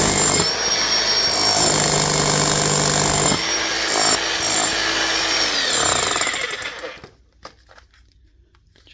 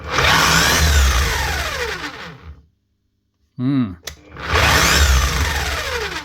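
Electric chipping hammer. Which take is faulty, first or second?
second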